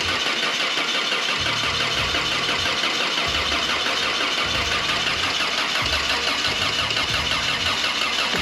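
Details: 1985 Toyota Sunrader RV after engine replacement, first start: petrol engine catches and settles into fairly even idle with no knock or tapping; sounds healthy.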